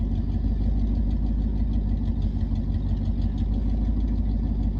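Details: 1989 Ford F-150 EFI truck idling in the background: a low idle at roughly three pulses a second that lopes and stumbles unevenly rather than running smooth; rough idle, cause unclear.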